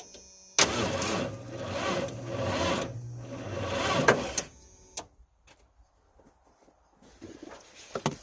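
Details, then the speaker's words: Plow truck at about 10 degrees with a very poor battery, on a 2 A charger for 12 hours: slow, labouring crank for about three and a half seconds that never catches, then dies off. Weak battery cranking. "hey so just to show the honesty of this video we've got just the horrible battery over there we're gonna try and crank it right now it might actually kick because I've had it on a 2 amp charger for the last 12 hours let's see what happens"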